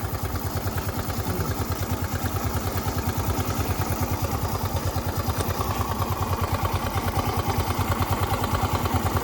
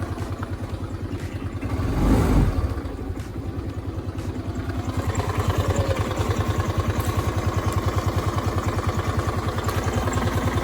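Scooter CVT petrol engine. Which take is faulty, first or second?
second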